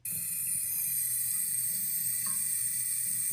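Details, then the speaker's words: Residential sprinkler valve heard by touching it during irrigation leak detection; a steady, even high hiss with no rhythm as water forces through the leaking valve. Irrigation valve leak hiss. "the sound of what an actual leak sounds like but we don't just stop there we know we had that valve leaking"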